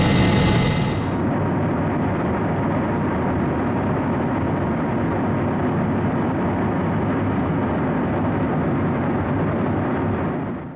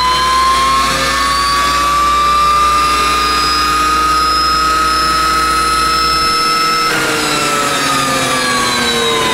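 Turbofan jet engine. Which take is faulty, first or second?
second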